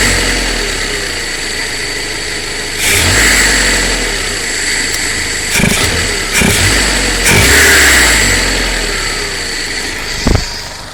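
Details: 1.2 8v Fiat Punto at idle: uneven running with occasional stumbles and a few throttle blips; misfire on cylinder 2.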